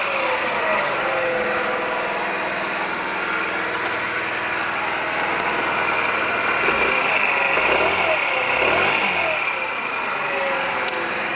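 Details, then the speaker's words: Scooter after new crankshaft, new piston kit, and replacing a factory-defective piston with a skewed pin that caused a ringing knock: now idles evenly with only soft gear rustle, no ringing knock; normal idle after repair. "вот таким должен быть звук полностью исправного скутера если стоит новый коленвал новая поршневая никаких звонов стуков в двигателе нет"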